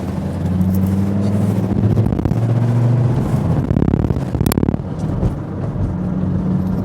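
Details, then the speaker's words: Volvo V70 D5 five-cylinder diesel at 190,000 miles: deep drone rises hard under heavy acceleration, then sags abruptly as power drops away; pushing it hard accidentally knocked it into limp mode. "I've accidentally knocked it into limp mode coming up there just then. I think I was pushing it that much that time."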